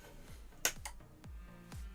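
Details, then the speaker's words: Pre-production assembled board on bench supply at power-up: one crisp click as the relay pulls in; normal relay click on power-up. "i hear the click that's good yes it does okay nice"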